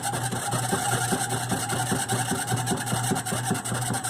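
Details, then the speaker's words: GE washer model WDRR2500K3WW: rapid loud clacking about 2.5 knocks a second over motor hum, right after filling as agitation starts, sometimes at the second agitation. It usually clears after a few minutes; cause unknown. "when the noise occurs is right after it fills and it is about to start the agitation agitation cycle I think that's how you say that word agitation it's sometimes you'll do it at the second agitation sometimes it doesn't but it's a super loud noise"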